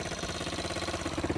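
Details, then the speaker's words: 125 four-wheeler quad, newly acquired and possibly rebuilt, needing a little more work; the small single ticks over at idle with a steady, even putter and no misses or knocks, running fine. "Yeah, she sound good. I gotta do a little more work to it though, but she sound good though, man."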